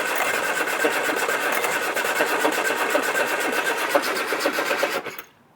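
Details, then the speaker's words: Rare Mk1 Austin Mini barn find being restarted: even, chugging, sluggish crank at roughly four beats a second that never catches. The worn starter motor is turning it over slowly. "yeah starter motor is uh showing its age now"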